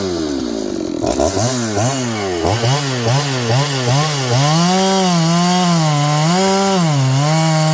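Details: John Deere CS81 chainsaw cutting wood after revival: strong clean buzz swooping up and down with the throttle, settling to a steady high scream in the cut; carburetor okay, burning black off a dried-up muffler, running healthy.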